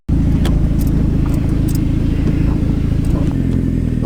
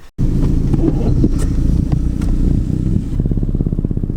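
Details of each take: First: Daily-driver turbo car on a test drive after the exhaust and boost leaks were fixed: the engine pulls smooth and even with a steady low hum, no ticking left over the exhaust note, and it holds boost. Normal running. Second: Turbocharged daily driver while driving: loud, rapid ticking that quickens with revs, believed to be an exhaust leak at the turbo or downpipe. A separate boost leak found with a smoke tester is not audible here. Exhaust leak ticking.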